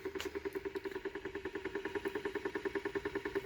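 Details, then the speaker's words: 3D-printed rotor with bifilar coil, first run: quick regular pulsing about three beats a second with a hollow mid-pitched hum; rotor works but sounds rough and unbalanced, cause not confirmed. "and of course it sounds like but it's working"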